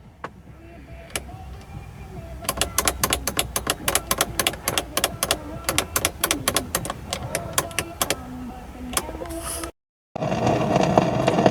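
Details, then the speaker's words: Mercedes 300E with a new fuel pump: with the key on and the radio off, even with the engine running, the audio system gives dry, irregular crackling ticks, three or four a second. It goes away with the radio on, and it is not stuck in the weather band. "When the radio is on, it just goes away, but I can't really show that because the music starts. If the key's on and the radio's off, even if it's running, it gives you that scratching sound."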